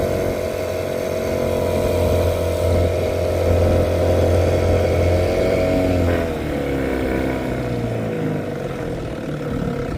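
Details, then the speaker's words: 1975 Johnson 6hp two-stroke outboard after fuel-line work (had been starving for gas): steady buzz, then around six seconds pitch sags and wavers instead of climbing, bogging under throttle; loss of power on acceleration, compression test planned. "Yeah, usually it has so much more balls. Like, you could feel it wanted to ramp up and have who was thinking what the heck? You could feel that like it wanted to go, and then just, I don't know,"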